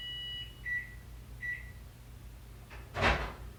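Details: Empty smart microwave beeping with nothing inside: short high electronic beeps about every three-quarters of a second, then a clunk; cause unknown, owner plans to unplug and replug it.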